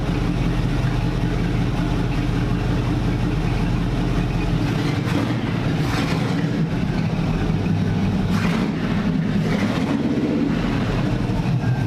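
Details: Supercharging-project NASCAR (Tide car) V8 with Pro Billet MSD distributor and old MSD 6T boxes/Blaster HV coils, test drive with no hood: loud engine under way misfiring, breaking up and backfiring with sharp exhaust pops.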